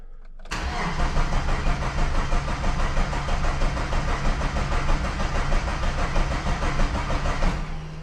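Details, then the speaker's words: 1995 Plymouth Neon, low mileage, sat long in a garage, fuel pump priming: starter cranks about three beats a second with occasional weak firings that never catch; owner says it's firing on one cylinder; crank, no start. "Huh. She wants to. She's gonna, y'all. She's gonna take a minute. She will, though. She's like firing on one cylinder."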